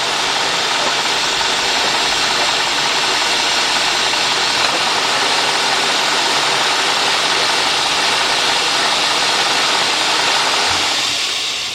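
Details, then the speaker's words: Cadillac/GM 4.6 (Deville etc.), warmed up, complaint rough running and surging idle: loud steady airy hiss over uneven lumpy beat; rough idle, possibly drawing air, cause unconfirmed. "You know, I don't know if you hear a little air. This is not that bad. I mean, I hear it's it's running a little, but I'm going to put it in gear. And I can actually hear air more."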